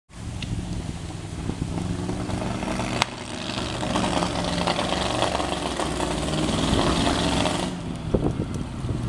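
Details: Maserati 450S replica engine: an uneven, stumbling exhaust beat of about four pulses a second with occasional pops as revs build, showing misfires, with smoke reported.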